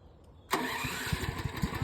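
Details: Portable generator started for a house interlock hookup by holding the start button while pulling the choke lever during cranking: quiet, then it catches at once and settles into a steady, even beat with no misfires, a clean start.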